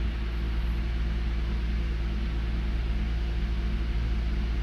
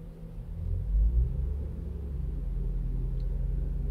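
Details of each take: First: Toyota Avalon with a misfire while the engine is cold: low, uneven idle with the beat stumbling now and then before shut-off. Scan tool confirms cylinder 1 misfire counts; spark plug, ignition coil or injector are suspected, injector likely. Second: Toyota Avalon with a cold-start misfire on cylinder 1, after injector cleaning: the revs bump briefly and then settle to about 800 rpm in a deep, steady idle with no stumble. The idle is now normal.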